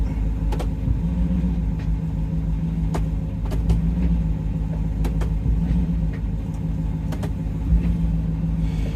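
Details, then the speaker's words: Diesel truck at auction, 220,000 miles, assumed 6.0: steady idle rumble with sharp knocks dropping into gear and a clunk engaging reverse; engine or transmission mounts suspected, not confirmed. "let's go in gear goes right into gear goes reverse ooh she kind of clunks when you hear that"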